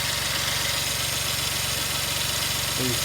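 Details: 2003 Suzuki Jimny JB23W, K6A engine, test run after water pump replacement and refilling the radiator: steady, even idle with a smooth low pulse and no knocks, ticks or belt squeal; sounds healthy.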